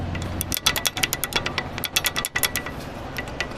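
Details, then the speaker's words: Car rear suspension area, wheel rocked: quick bursts of sharp metallic clicks from loose rear brake pads rattling in the caliper. "Brake pad سے آ رہا ہے."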